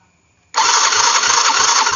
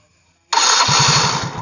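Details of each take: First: Yamaha Mio fuel-injected scooter, after earlier total no-power fault and code 42, on restart: starter whirs in short uneven bursts, turning sluggishly without catching; battery found weak, so kick-start used instead. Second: Yamaha Mio fuel-injected scooter that was totally dead (no spark, fuel pump not running), spark plug cap refitted, indicator flashing code 42: short starter whir, then engine catches and settles into quick even putter; clean normal start.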